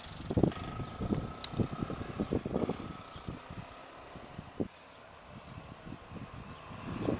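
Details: 1999 Honda XR600R single, a restored barn find now street legal, with the stock muffler keeping it quiet; subdued, uneven thumping with short throttle blips, pulling with plenty of power. Normal running.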